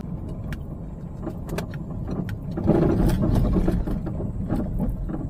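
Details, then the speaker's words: Peugeot 308 driving on uneven road, recorded from the dashboard: frequent loud uneven hollow clunks from front underside over small bumps, unchanged when braking; shocks appear worn out; a minor suspension part suspected. "台标志呢，它底盘下面呢前方呢有一个异响，大家可以听啊，咯噔咯噔的响啊，非常的频繁啊，非常的响啊。"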